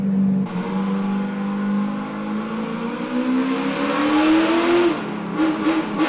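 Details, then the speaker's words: Chevy LS3 427 V8 with 8-to-1 headers in Ultra4 car on dyno: clean V8 note climbing smoothly at wide-open throttle, no misses or knocks; engine sings, healthy. "It's the 8-to-1 headers and that engine, and it just sings."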